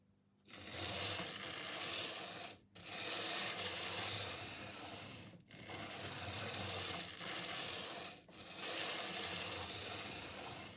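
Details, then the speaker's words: Jouef HO BB 13001 electric locomotive model, about 60 years old, with a new drive belt fitted: high buzzing whir that drops out every two to three seconds; motor, drive shaft and gearing fine, intermittent running from poor current pickup at the pickup bogie. "Well, as always the case with old Jouef models, it's always the pickups that are the problem. The motor's running fine, the drive shaft and the gearing works fine as well, but it's just always the pickup bogie that's the problem."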